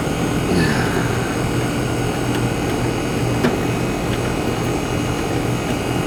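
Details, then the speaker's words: American Standard/Trane AC condenser whose fan wasn't spinning, burnt fan wires found, rewired (hard-start kit wire noted): steady whooshing hum, constant low drone, no clicking or scraping; compressor and fan running normally after repair. "foreign ER compressor's running the Fan's running he's a runner Runner"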